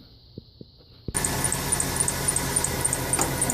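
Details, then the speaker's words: 1996 Ford F-150 4.9 300 inline six: engine catches, then sharp high chirp three to four times a second, louder as revs rise; alternator already replaced without change, traced to the rotted harmonic balancer at the front pulley. "there it is already knowing gets louder as the engine revs up all right so as you just heard that's the sound that I'm getting"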